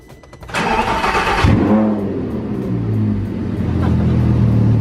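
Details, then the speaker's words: Lamborghini LP560 dry-sump engine, started after oil change with 5 quarts added to build oil pressure: starter crank, sharp catch and brief flare, then smooth steady idle with no knocks or ticking; normal start. "Alright, the 5 quarts are in, Christian, so we're going to start it up and let it run for a little bit. Watch that oil gauge. Build up some oil pressure."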